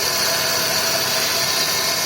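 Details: Chevrolet Celta idling: a steady, hissy, high-pitched whir from the accessory belt. The owner first suspected the alternator or water-pump bearing, but the cause was a worn accessory belt tensioner bearing.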